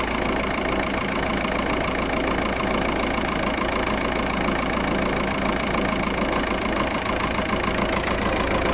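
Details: VW Passat with fault 000769 / P0301, a cylinder 1 misfire, recorded close-up at idle: rough, uneven beat stumbling about three times a second from one misfiring cylinder.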